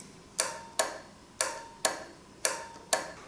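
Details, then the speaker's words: Retrofitted truck auxiliary light circuit: sharp, crisp clicks about once a second over a quiet background as the circuit switches; the relay is working normally. "also when I turn on the circuit you'll hear the relay clicking and that means that the delay is working"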